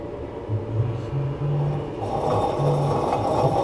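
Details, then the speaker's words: 2003 Chevrolet Silverado 2WD front hub assembly, caliper removed, hub turned by hand before replacement: uneven dry scraping growl with gritty catches; worn hub bearing. "listen to that thing that it's not good"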